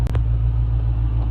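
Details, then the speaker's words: Salvage Dodge Charger Scat Pack Widebody, 392 V8, running on a jump box with the radiator not yet installed, after an earlier failed start. Deep, steady V8 rumble at even idle with no knocks or ticks. "as you can hear, it's running. I ain't got the radiator and stuff in there yet, because I still gotta take it to the frame shop so they can fix up the frame rails on the front end and straighten out a couple other things."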